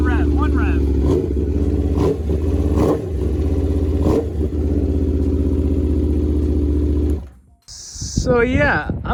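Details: Rebuilt wrecked 2021 Aprilia RSV4 V4, run briefly without coolant: strong, even burble with crisp blips, no misfire or knock, and no smoke despite concern over possibly corroded piston rings, then shut off. Normal running.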